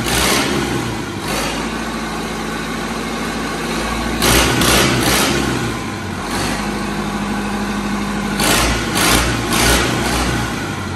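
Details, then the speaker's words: Replacement diesel in a Caterpillar 215 excavator, idle for nearly 30 years, restarted after heat and run off a funnel for fuel: steady idle with a couple of clean throttle blips, no knocking or misfire, running healthy. "I'm going to give it a bit more heat we're expecting it to start so listen to this girl"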